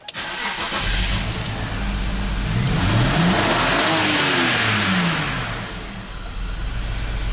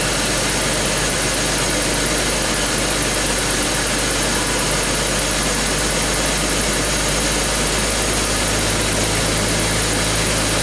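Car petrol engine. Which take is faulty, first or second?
first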